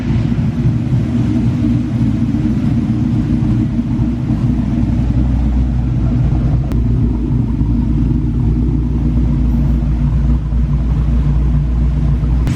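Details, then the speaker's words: SN95 Mustang after an intake leak repair: a deep, steady, even burble at warm idle with no hiss or stumble; it now settles to idle about 30 seconds after start instead of taking forever. "if you cannot sell guys we do have the car running it sounds really good"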